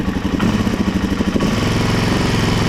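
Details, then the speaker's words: Suzuki DRZ400 single cylinder, first kick start, low battery, little fuel from a piggyback tank: loose, uneven idle thump; carb fuel-air mixture screw and idle throttle still need adjusting. Untuned idle. "throttle needs to be adjusted so let me turn this off so it's running uh definitely need to lock it in adjust the fuel air mixer screw adjust the throttle"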